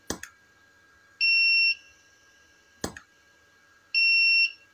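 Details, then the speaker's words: Tronic Alfa 800 studio monoblock flash, after repair of erratic power calibration and power drop; fired with display reading 266, quite stable: two cycles of sharp pop then clean steady ready beep about a second later. Normal fire and recharge. "Nah itu Ya kita coba lihat nih di angka 266 ya kita coba tembak ya cukup stabil ya cukup stabil ya"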